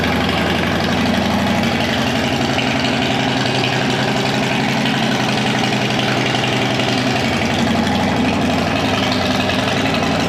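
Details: Police Harley Road King converted to sport tourer, first test start with pipe just fitted, not yet tuned: loud, lumpy V-twin idle with even loping beats, steady with no knocks or misses.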